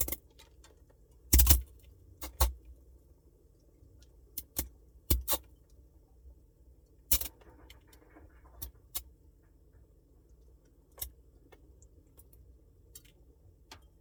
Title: 비스포크 냉장고 소음 2023-0605-0741